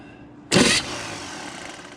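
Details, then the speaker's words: 1970 GMC pickup with a small-block Chevy engine and ram's horn exhaust manifold, after 20 years off the road: the starter gives a harsh grinding clunk on engagement, then a fading rattle. Its mounting bolts were found loose, so it is a loose starter motor. "come on baby no sure enough that starter sounds terrible"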